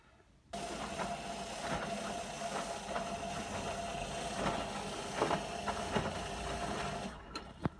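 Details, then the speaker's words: Beko WM5100W washing machine running a 40°C cottons test wash with workshop rags, in the wash phase and warm. There is a steady whirring hum with a faint whine and irregular knocks as the drum turns. The brushes are half worn. The noise is abnormal, but its source is unconfirmed. "it's in the wash phase everything seems to be going okay apart from that noise we'll check back at a rinse maybe"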